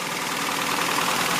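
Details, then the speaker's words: 1984 Toyota Celica GTS RA65 22RE engine idling after valve cover gasket replacement: steady, even idle with light hiss, no ticking or knocking; sounds normal. "us know sounds normal to me"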